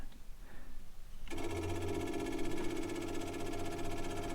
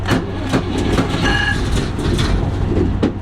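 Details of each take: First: Vehicle at tank museum, ignition on before start: after brief quiet, rapid even ticking of old electric fuel pump priming steadily; normal fuel pump priming. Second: Museum vehicle after fuel pump priming and a couple of accelerator pumps, start button pressed: uneven cranking bursts and a few firing thumps that almost pick up, then die away; engine cranking, nearly starting.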